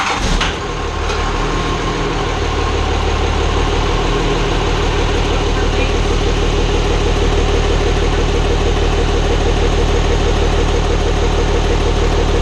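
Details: Hybrid 5.9/6.7 Cummins diesel swap, first start-up after the build. Steady idle with a light regular tick of about three per second up top, toward the front valve cover; builders suspect valve lash needs checking, not confirmed.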